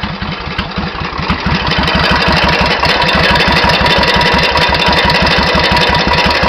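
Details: 1991 Suzuki VS1400 Intruder V-twin, true mileage unknown (engine supposedly ~24,000 km); metallic hammer-like tap riding each beat at idle, quickening as revs rise, louder on the other side; engine knock, cause unknown.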